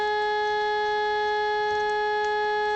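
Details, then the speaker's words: Pye TRS-2000 AM/FM radio on AM with a test tone and no AGC bypass capacitor fitted: harsh, buzzy, raspy sound, awful even at higher frequencies; distortion from the missing capacitor. "all right that's 75 votes with no bypass capacitor at all matter of fact you 413 uh-huh it sounds awful so even at higher frequencies the navbar passing it sounds terrible"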